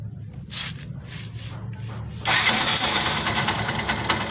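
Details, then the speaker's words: Yamaha YTX motorcycle catching after cranking, then harsh metallic scraping and rattling at idle; found on the magneto side: the three bolts of the starter Bendix drive had snapped, and the bolts were replaced. "So ito nga ang problema mga bossing. Naputol yung turnilyo ng BX drive."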